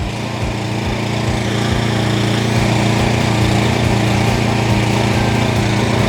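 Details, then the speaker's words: JCB petrol pressure washer fitted with a suction kit to draw from a water drum, after freeing a seized unloader valve: small engine drones steadily with a regular pump pulse while the pump draws water and bleeds itself. "it's now sucking all the water out that's now blood itself so now the machine has bled itself"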